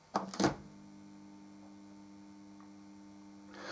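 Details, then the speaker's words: SC480 bass amplifier power supply kit (KC5347) with toroidal transformer, first power-up: a couple of switch-on thumps, then a steady, low, even hum; transformer energised and healthy, about 39 V measured on one side. "I can hear the transformer buzzing so I know it's working hopefully nothing's going to go bang"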